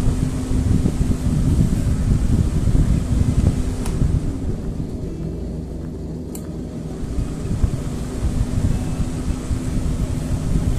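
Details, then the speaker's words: Rechargeable charger fan after repair: the battery terminals were reconnected tightly. It runs on low, medium and high, and the light works. Steady airy whoosh with a soft hum, no rattle or wobble: normal running after the fix. "হ্যাঁ, দেখুন ফ্যানটি চলছে, খুব সুন্দর চলছে। এই দেখুন ফ্যানটি চলছে খুব সুন্দর। লো মিডিয়াম এবং হাই।"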